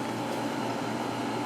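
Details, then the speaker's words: Sharp 10,500 BTU window air conditioner running upstairs, heard from inside: steady, even airy rush with a faint constant hum, no rattles or surging; very quiet and smooth. "very quiet very smooth"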